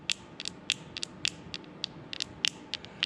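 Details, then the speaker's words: Strikemaster Solo 137 ice auger carburetor, stored about five years, during fuel system overhaul: diaphragm gives dry, sharp crackling snaps when flexed by hand instead of being soft and silent; hardened diaphragm, needs replacing. "it's a lot stiffer than i would like to see that's for sure if that has some more green goo yeah you hear that it shouldn't do that this should be soft"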